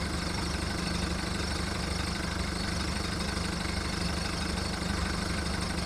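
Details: VW Golf mk1 1.9 TD turbo diesel warming up after first cold start following 5 months storage: low, slightly uneven steady idle clatter about three and a half knocks a second; rough cold idle.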